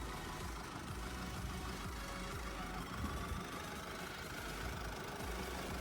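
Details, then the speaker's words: Mercedes-Benz GLC 220 d 4MATIC, July 2020, 2.0 turbodiesel 143 kW, 9G-Tronic automatic, 249,000 km: starts instantly, quiet, even diesel idle with soft steady hum, no knocks or hunting; engine untouched, factory condition, normal idle. "двіжок запускається з півоберта впевнено тримає оберти працює тихо і стабільно під капотом жодних слідів втручання стан заводський"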